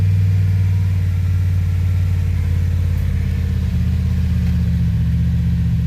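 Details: 2007 Pontiac Grand Prix GXP V8, first start-up after sloppy stage 3 cam with VATS and DOD delete tuned via HP Tuners; lumpy choppy cam idle, otherwise even, no ticking or knocking. Normal idle with performance cam.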